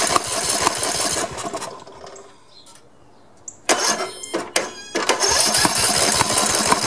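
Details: Old Snapper 1438S rear-engine riding mower after carburetor refitted and fuel flow restored: cranking bursts, short lull, then small engine catches and holds a steady buzzing run; starts and runs.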